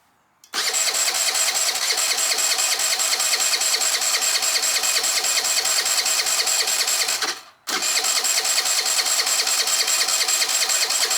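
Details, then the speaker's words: 2013 Italika Sports City 50cc moped, sat outside five years, new battery, carb flushed with cleaner: steady electric-starter whir, pause, more cranking, never catches — no spark because the plug cap was left off the spark plug. "I'm such an idiot I put the spark plug back in but I didn't put the plug cap onto it so how's the fuel supposed to light if there's no spark"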